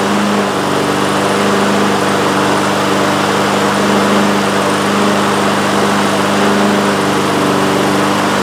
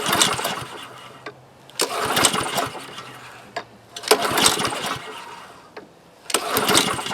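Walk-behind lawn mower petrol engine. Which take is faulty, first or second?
second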